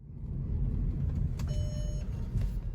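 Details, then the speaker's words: Mercedes ML350 after replacing cylinder 6 ignition coil pack (codes P0356, P0306): steady low engine hum, no stumble, brief chime; misfire and check engine light resolved. "there's no more check engine light no more misfiring the problem has been resolved and it was a quick cheap and easy fix it was just a cold pack"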